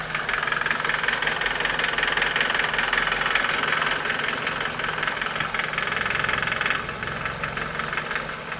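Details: Nissan Micra K11 1.3 CG13DE engine, freshly serviced with 10W40 oil at correct level, ticks only at idle once at operating temperature; light, quick, fairly even tick about three per second over engine hum, disappears with a few revs; cause unclear.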